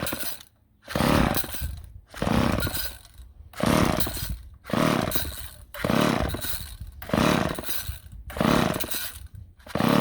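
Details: Old chainsaw with Ohlsson & Rice engine, sat unused 20+ years, a little oil squirted in before trying: repeated rope pulls about one per second, each a brief cranking rasp that never catches; turns over but won't start.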